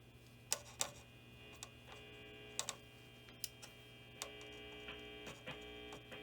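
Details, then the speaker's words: 1966 Gibson GA-20 RTV Minuteman tube amp, barn find, first power-up on a current limiter after cap replacement, volume fully up: low steady hum with faint buzz and scattered clicks, little signal; amplifier circuit fault suspected, unconfirmed. "Okay, so it's a little bit of buzzing in the speakers, and that's about it."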